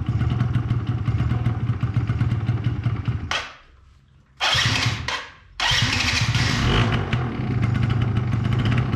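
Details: 2005 Yamaha Zuma YW50 two-stroke scooter: catches and buzzes, drops out twice into near silence, then refires roughly; hard starting, won't stay running; secondary ignition coil later measured bad (8.52 vs 2.9 kilo-ohms).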